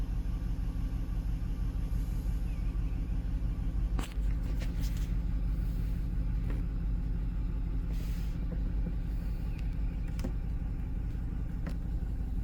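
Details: 2005 Cadillac Escalade, 6.0L LQ9 V8 parked five years, idling after swapping injectors 2 and 6: lumpy, uneven low rumble with a recurring stumble about twice a second; misfire persists, still on cylinder 2, now also 4.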